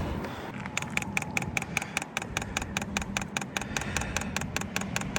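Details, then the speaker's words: New diesel heater on 12 V at startup: the fan comes on first, then sharp, even ticking at about 2.5 per second over a soft fan hum as the fuel dosing pump primes; normal. "The fan comes on first. Okay. And then you'll hear this ticking when it's ready to start pumping."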